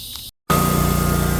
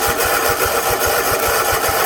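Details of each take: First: 50-inch Cub Cadet zero turn mower after no-start, started using the battery since fuel shut-off solenoid at carburetor needs 12 volts: small engine runs steady even chug with faint high whine; normal idle. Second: 50-inch Cub Cadet zero turn that sat a while cranks unevenly, catches on carb cleaner/starter spray, then fades out: the battery-powered fuel shut-off solenoid at the carburetor isn't getting 12 volts, so no fuel reaches the carb.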